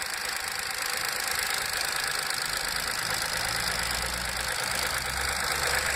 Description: Cold start engine noise, after repair of oil leak on the camshaft phase variator. VW move Up! MPI 5000km.